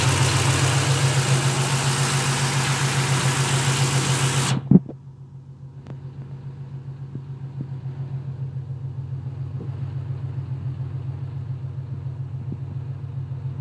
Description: Clicks then stops. Clicks then stops / What is it?